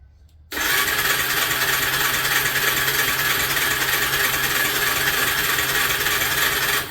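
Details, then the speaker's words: Suzuki LT300E ATV cranking on its electric starter while the stator pickup signal is metered: six seconds of steady, fast starter whirring that never fires; pickup gives about 2 V trigger signal, so CDI probably faulty; no spark. "Yeah, there's a voltage being hit. Being a digital one, it isn't fastest, but it is telling to fire."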